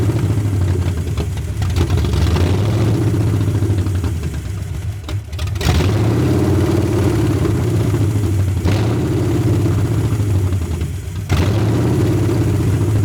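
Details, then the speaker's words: 1981 Ford Mustang 5.0 V8 carbureted, parked since 1996, on a temporary electric fuel pump: low uneven idle sagging, surging, nearly stalling; owner suspects vacuum leak (possibly under-carb gasket) or distributor slightly out of position, plans to advance timing. "I think the distributor is in the wrong spot a little bit, and it's not enough to let it idle."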